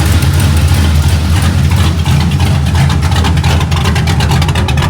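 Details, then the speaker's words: 2003 cammed GMC Sierra V8 with an intermittent misfire and compression of 175–180 psi on all cylinders: deep, lumpy, stumbling idle. One coil gave no spark on test. "coil over here is bad on cylinder two, I believe."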